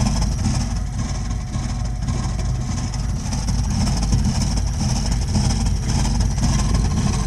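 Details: Burnham Alpine boiler with a continuing loud-noise problem: a loud, deep, uneven rumble like an idling engine holds steady throughout, far too noisy, cause unknown.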